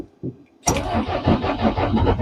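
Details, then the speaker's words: DAF LF45 bus diesel after failing all day in minus temperatures (-6°C): a couple of weak turns, then it catches abruptly and settles into a steady, lumpy clatter once the day warmed a bit; it starts and runs. "Well, we got it going. After trying to start it throughout the day, it's warmed up a bit, and now it's fired up."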